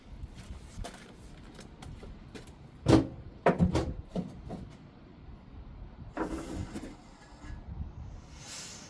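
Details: Fifth-wheel slider air switch operated after repairing the dashboard air valves: a couple of soft pneumatic thumps and a short hiss as the locking teeth pop out; release now working.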